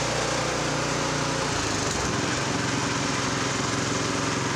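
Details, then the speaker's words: Honda F501 tiller with new offshore GX clone replacement engine, no load, after opening the carburetor pilot jet to cure lean surge; even steady governed run at 3600 rpm, no hunting. "fuel is on that's a lot smoother don't do the Huns anymore"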